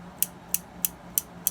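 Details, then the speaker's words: Swedish Favorit knitting machine: crisp light ticks, about three a second, as needles are forced up and popped out past the heels. Normal. "that ticking as they're popping the needles out"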